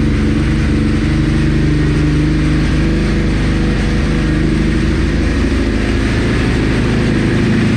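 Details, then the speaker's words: Ducati 999, cold engine on full choke, after new battery install: loud, steady, deep V-twin rumble at a fast even idle with no misses or knocks; normal cold running on choke. "Let's Go full choke it might be trying to [Music] start [Music] that's how she is"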